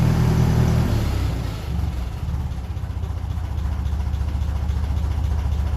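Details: 1957 Ferguson 35 TVO tractor just after ignition timing was reset to the book specification, started on a mild evening: revs drop off and settle into a slow, steady idle of about three and a half beats a second; normal healthy idle.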